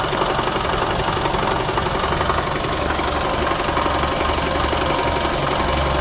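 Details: 2017 Toyota Camry SE petrol engine idling steadily with a fast, uneven rattle over the top from the engine bay; engine mounts and belt tensioner already replaced, source still unknown.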